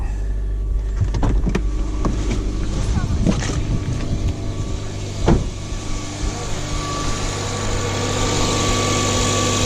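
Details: Mazda 2 cold start just after installing a CorkSport short ram intake: door and handling clunks, then smooth, even fast idle with no hissing or whistle from the intake, settling down from fast idle; installation sounds good.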